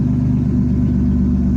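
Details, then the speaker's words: 1989 Chevy Camaro with bad ECM, fuel pump relay jumpered to ignition (VATS bypass), low-oil-pressure cutout switch removed: steady, even low rumble with no misses, knocks or ticks; idling smoothly and healthy. "But you can see it's running. It's idling."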